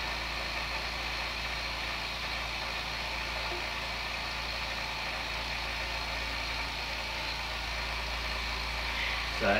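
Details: New oil-less compressor for airbrushing, first fill after unboxing with regulator turned down: steady even hum, no knocks or rattles, quiet enough to talk over; running healthy while tank fills.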